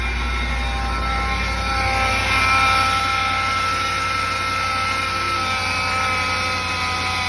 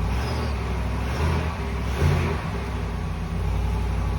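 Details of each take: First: 2020 Ram 5.7 eTorque petrol engine running, a steady high whine rising with revs on acceleration, turbo-like; worn idler pulley bearing. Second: 2020 Ram 5.7 E-Torque V8 after replacing the idler/tensioner pulley (part 68518735AA) that whined on acceleration: deep, even idle with two light throttle blips and no belt whine.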